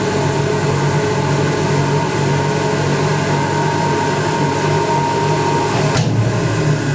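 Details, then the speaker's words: 1980s Ariston by Colston Electronic 3000 spin dryer, rated 3000 rpm, running empty before a load; quiet, steady hum with faint even tone, barely any noise, no knocks or scraping: normal running. "it doesn't really make any noise."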